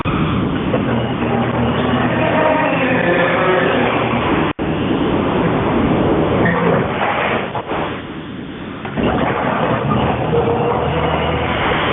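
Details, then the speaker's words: Garage door before a tune-up and roller replacement, rumbling and rattling loudly as it travels, with squeaks and grinding from dry, worn rollers. "this is what a garage door sounds like before A+ garage doors does a tuneup and replaces the rollers on a garage door"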